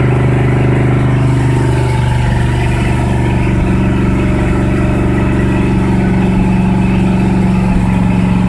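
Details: 1976 Ford F-350 V8, cold start after two years without starting: deep rumble at a fast, steady idle that never drops; idle set too high, choke and PCV not yet connected.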